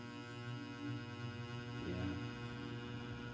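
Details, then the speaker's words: Vintage 1970s Eskimo 20124 fan starting on low: low steady electrical buzz with droning hum that shifts as the fan spins up, struggling to reach speed; one motor coil buzzes more, owner suspects varnish difference. Cause suspected, not confirmed. "so two different coils are buzzing it's on low it's like and on high it's like so one of the coils is more varnished than the other or something"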